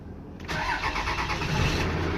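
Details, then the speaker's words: 1996 Dodge 2500 12-valve Cummins diesel, 181,000 original miles, after a starter rebuild, starter relay swap and cleaned battery terminals (before: it clicked without cranking): brief crank, then it catches at once into an even idle; normal start. "look at that boom sounds good all right and that is how you do that"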